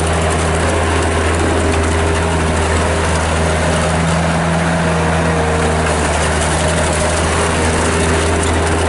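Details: 1997 Bobcat 763 skid steer loader, Kubota diesel, 2,808 hours, on Loegering tracks: steady low diesel drone with an even beat at constant speed, no knocks or misses; normal healthy idle.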